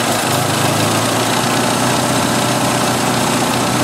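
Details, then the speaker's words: 1986 Jeep XJ 2.5L at idle: loud even hiss over the engine note; brake cleaner sprayed at the 3rd intake runner from front drops fuel trim from 150 to 30, confirming a vacuum leak there; engine running very lean. "the fuel trim dropped like a brick field trips going down to 30 from 150 so the 3rd intake runner from the front is leaking like a sieve"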